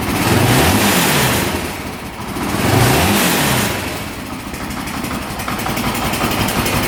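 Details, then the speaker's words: 2008 Honda TRX700XX 700cc quad revs in two clean sweeps that rise and fall smoothly, then settles to an even, steady idle with no misses or knocks; running perfect, no issues. "it sounds like it's running perfect. No issues there. Starts right up, revs out."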